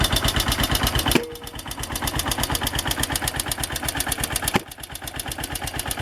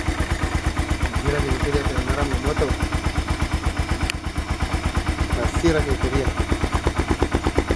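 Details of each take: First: AKT TTR 200 single-cylinder motorcycle arriving at the shop: sharp, loud ticking on every firing pulse, about three per second, with a rough idle; noisy engine top end, needing tuning and cleaning. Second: AKT TTR 200 motorcycle engine that arrived with considerable engine noise, after timing adjustment and cleaning; crisp, even single-cylinder beat at steady pace, no knocks or rattles; running clean and healthy.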